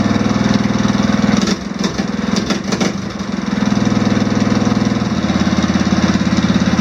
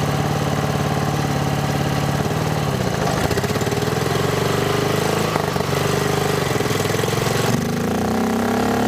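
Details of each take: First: Swapped OHV engine on off-road mower, valve lash (found way out) just adjusted into spec, started without choke: even quick putter at idle, brief dip that recovers, no top-end ticking unlike old flathead; runs smooth and quiet. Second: Lawn mower with swapped single-cylinder engine, mic clipped next to intake filter: revving hard and unevenly, loud hollow intake roar rising and falling; smoke follows, owner thinks it still needs a catch can.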